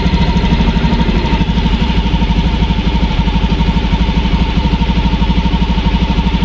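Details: Fuel-injected motorcycle that had been stuttering with no fault code, idling after an added ground wire on the green cable cut resistance from about 21–24 to 3.6: an even, loud low thump at about three pulses a second with no stumbling. Normal idle.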